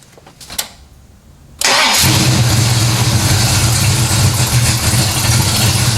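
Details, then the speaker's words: 1970 Pontiac LeMans, mildly warmed-over 455 V8, about 1,000 miles on the oil, before first dyno runs: a few quiet clicks, quick start, then a strong, steady idle with even beat, no knocks or misses; normal, while checking fluid levels. "first off let's fire this thing up see where we are fluid level wise"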